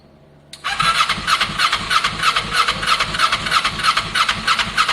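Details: Kawasaki ER6n project bike, first start-up attempt on a borrowed new battery with old fuel in the lines: starter cranks steadily three turns a second with even compression beats, never catches. Crank no start; owner unsure whether spark is present.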